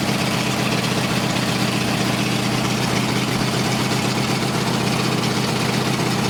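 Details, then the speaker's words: Race Ford flathead 8BA V8 on a run stand with a replacement oil gauge: steady low rumbling idle with an even beat, no knocks or ticks; 50 psi oil pressure, oil pump working, no big leaks; compression about 150–165 psi. "okay we just observed us running this thing and on the oil pressure we had a good 50 psi oil pressure so that means the oil pump is working"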